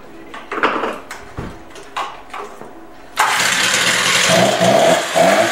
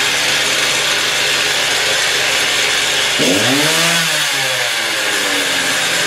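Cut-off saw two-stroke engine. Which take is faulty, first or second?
first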